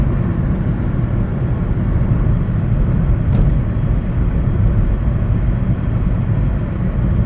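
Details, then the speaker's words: Budget hybrid with CVT cruising at 45 mph after new NGK spark plugs fixed misfire: steady low road drone, no stumble or surging, engine pulling evenly; normal cruise. "45 miles per hour, just cruising along."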